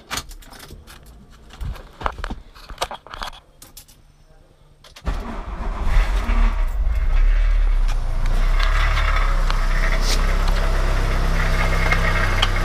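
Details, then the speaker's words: VW Golf 1 Cabriolet: keys jangle, then the engine starts and idles with a tinny metallic rattle over the low rumble. It comes from inside the catalytic converter, which is not holed. "Vous entendez, ça vient de là-dedans, hein. Et pourtant il n'est pas percé."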